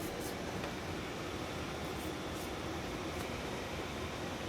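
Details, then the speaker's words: 2013 Mercedes Sprinter 3.0, key out: faint steady rush of blower fan air with nothing else running, stops when battery disconnected; blower stays on and drains battery overnight. "I hope you can hear the blower motor so the key is out but the blower motor is on there is air coming out of these vents"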